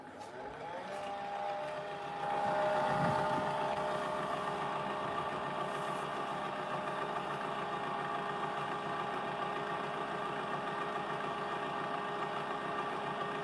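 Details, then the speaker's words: Siemens 9 kg washing machine on Eco 40-60 with an 8.35 kg full load: the i-Dos automatic detergent pump starts and holds a steady whir with a faint tick, dispensing a full-load dose; normal operation. "Okay, Idos is dispensing a full load which is good. Yeah, full load has gone in. So, it has detected full load."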